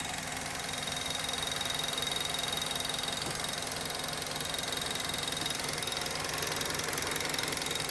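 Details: 2010 Mazda 3 2.5 L engine at idle: steady light ticking, about three per second, over a smooth idle, apparently from the top of the engine; cause unknown, owner hopes it isn't valve-related.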